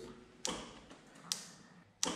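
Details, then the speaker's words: Carbureted Honda Shadow motorcycle after four months standing, ignition on, engine off: the low-mounted fuel pump gives three sharp clicks about a second apart, each sending fuel to the carburettors. The owner suspects stale petrol. Normal priming. "Ето това е горивната помпа. Този мотор е с горивна помпа. Намира се ето тук долу. При всяко щракване качва гориво."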